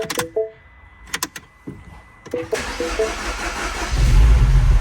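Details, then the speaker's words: Second-generation MINI Cooper N18 1.6L turbo, very first cold start after replacing a burnt valve that caused a cylinder 2 misfire: a short crank, then a steady low idle with no stumble or misfire, a normal start. "Okay, there we go. It's a good sign. Fuel pressure is building up in the system there. As of now, there's no misfires."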